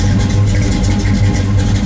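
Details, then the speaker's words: 1973 Camaro Z28 V8 just after swapping stamped steel rockers for 1.6-ratio full roller rockers: deep, even idle with a slight lumpy crackle, individual cylinders firing steadily, no ticks or misses; healthy old muscle car sound. "You hear that nice little crackle? That's what you like to hear. You can hear the individual cylinders firing. That's what you love to hear. That's what an old muscle car should sound like."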